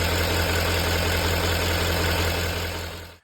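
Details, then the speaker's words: Chevy Duramax diesel after replacing the engine coolant temperature sensor; starts, then even steady idle with regular clatter of about four beats a second, no roughness, then shut off; running fine. "all right let's see oh there she goes all right we'll let it run for a minute and then we'll go out and check for leaks"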